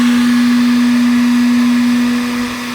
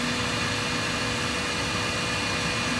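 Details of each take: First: Stock RV refrigerator cooling fan, triggered with a heat gun. A loud, steady, fixed-pitch drone; lifting the fan makes it somewhat quieter but it stays really loud. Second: After swapping the noisy stock RV refrigerator fan for two small replacement fans, heated up again: a soft, steady fan hum with a faint tone and some handling clatter. Much quieter, though the owner doubts they push enough air.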